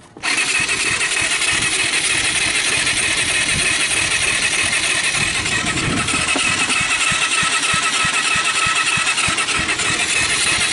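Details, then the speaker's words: Kawasaki Bayou 220 ATV, about 1988, cranked on the starter: fast, light cranking at about three beats a second with poppy puffs; compression under 30, later traced to valves adjusted too tight. "go poppy sound but it seems to be popping out the gust I'll I'll take the compression but I don't think it's going to be real worth talking about"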